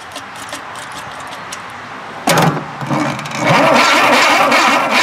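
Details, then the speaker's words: Tera jet engine, no start, after checking the magneto and possibly rusted coils: after a pause, rough rapid cranking churn with no catch or firing; owner suspects no spark and a bad coil. "Huh, do I need a coil? It don't sound like I have any spark. Okay, I may have to go get a coil."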